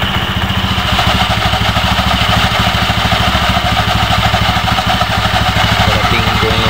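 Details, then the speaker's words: Honda Beat FI v2 scooter running with the CVT crankcase cover off: uneven clattery metallic chatter over the idle from the belt side; the crankcase bearing had worked loose, blamed on overuse. "Dil Okay naman talag sir ito yung sira ni ito maluwag to dito ito dumikit overhead sobrahan ng ano takbo"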